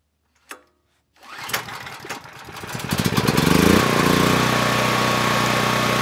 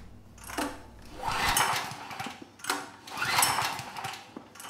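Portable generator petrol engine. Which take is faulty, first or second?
second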